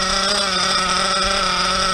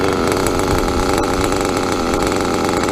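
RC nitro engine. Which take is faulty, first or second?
first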